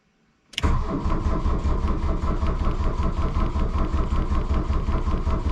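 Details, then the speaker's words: 1982 VW Rabbit diesel, batteries jumped with charger but not fully charged, cold choke out to advance injection timing, glow plugs cycled twice: starter gives even chugging crank that never fires. Owner suspects a fuel prime issue. "you hear it try to fire the first time soon as that light goes out I'm going hit the key"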